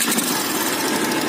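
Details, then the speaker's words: Yamaha Byson 2012, bought used, also blowing white smoke, at idle: a fast, light metallic tick-tick runs steadily over the engine; the owner suspects a worn piston or seal, not confirmed. "Nah, itu dengar tuh suara tek tek tek teknya itu, kelatek-kelateknya. Jadi ya itu juga harus diganti sih, pastinya diganti karena ini enggak normal ya rasanya."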